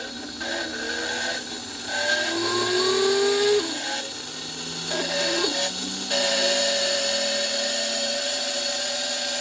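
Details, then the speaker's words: Thermo Scientific Heraeus Fresco 21 refrigerated tabletop centrifuge, after fixing an E-29 error and refitting the capsule compartment, on a full-speed 1-minute test: uneven rising motor whine that settles to a steady pitch; rough at first, then stabilized. "It didn't sound very good, but it's stabilized."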